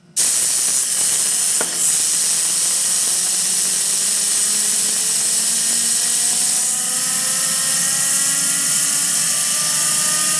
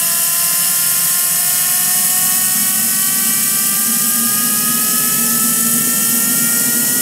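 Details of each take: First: Home-built 220 lb thrust turbine engine, started with compressed air via nozzle, no ECU, fuel pump voltage set by rheostat: whistling tones climb with hissing roar; fuel flow too aggressive, hot start, but spooled up to a good start. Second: Home-built 220 lb thrust turbine engine, first run after 2.5 years in storage, air-started, fuel pump on rheostat, no ECU: loud steady rushing roar with clean whistling tones climbing slowly as it spools; runs smoothly like a champ.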